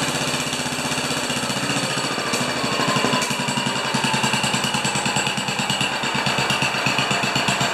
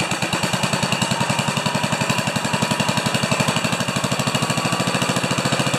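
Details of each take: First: 10 HP Kohler K241 single-cylinder engine, turned down, after installing a modern plastic fuel pump: steady four beats a second with even firing and no misses; running normally. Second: 10 HP Kohler K241 single-cylinder engine after fitting a modern plastic mechanical fuel pump, running out of fuel at shutdown: fast, even chuffing of about ten beats per second breaking into ragged, uneven gasps as it sucks air; fuel starvation sputter.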